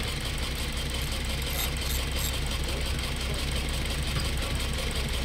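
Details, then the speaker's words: Toyota Altis 1.6 petrol engine idling roughly with strong vibration and a lumpy beat of about four pulses a second, even after new ignition coils and spark plugs; coils unplugged one by one, apparently two cylinders dead, with no check-engine light. "Grabeng vibration oh lakas pero parang dalawang coil yung patay dalawang coil naka-check engine ngayon yan sir"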